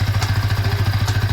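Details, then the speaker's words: Yamaha R15 V3 after clutch noise repair, exhaust silencer broken in two pieces: single-cylinder idle with steady even low thump, no clatter when clutch pressed or released; normal idle. "देखिए कोई sound नहीं clutch press कर रहा है और दबा रहा कोई साउंड नहीं मस्त साउंड हो गया"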